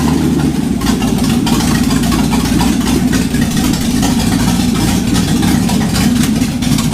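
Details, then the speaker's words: 1951 Chevy truck, first start in about four years after pulling the engine and redoing the gaskets, low-compression heads (about 8:1) and open headers: loud raw idle with lumpy, slightly irregular beat; uneven idle attributed to low compression. "doesn't sound great because it's a low compression engine with open headers, but definitely sounds cool."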